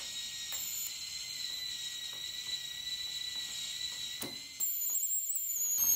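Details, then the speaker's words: TIG rig made from a DC stick welder converted with a manual argon-valve torch, tacking a plate: a thin high arc hiss drops out mid-run and restarts as the tungsten touches the workpiece. "I'm gonna make this tungsten a little shorter and if you guys heard the Ark turning off and on that was me touching the"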